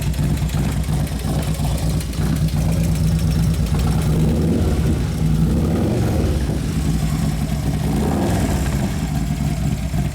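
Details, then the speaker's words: 2011 Harley-Davidson Road Glide FLT Twin Cam, just reassembled: loping V-twin idle with light fast tick on every beat, quieter than before but still present; lifters suspected, not confirmed. "Something goes a little bit. Quieted down somewhat, but still in there."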